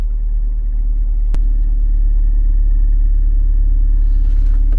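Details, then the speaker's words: Lada Largus/Renault Logan heater blower on speeds 3 and 4, barely turning on speed 2: low rumble with thin steady whistle and slow pulsing beat; weak, noisy blower fan, owner suspects dirt on the impeller upsetting balance. "вот так вот примерно по звуку работает у меня печка на третьей скорости и на 4 вот так вот на второй почти совсем не крутится"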